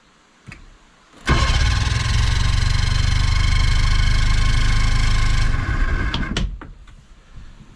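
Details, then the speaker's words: 1966 14 ft Hourston Glascraft boat's old Johnson Evinrude outboard, first start attempt after restoration: steady rapid deep cranking, almost fires but never runs, then winds down; cranks but fails to start, owner plans to re-prime fuel tank, cause unconfirmed. "oh it's getting close maybe I'll do is I'll just quickly run back to the back here and give that uh fuel tank another Prime"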